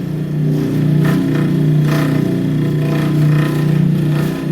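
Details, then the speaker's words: Bryant/Carrier package AC unit making loud lawnmower-like noise: steady low hum with rough pulsing drone about once a second, unchanged when mount pulled; frame not loose, motor spins free; noisy blower motor. "Disconnect's on. There's a definite noise coming out of that motor."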